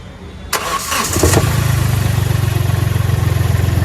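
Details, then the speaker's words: Customer complains of an odd noise from underneath the body, coming only sometimes when the engine is started or switched off: a sharp thump from below as it catches, then a steady idle; centre engine mount clunk on start. "और इस गाड़ी में जो में concern है customer का गाड़ी जब भी स्टार्ट ऑन करते हैं और ऑफ कर दे तो इन टाइम में एक नीचे से अंदर बॉडी से थोड़ा अजीब सा आवाज ए रहा है"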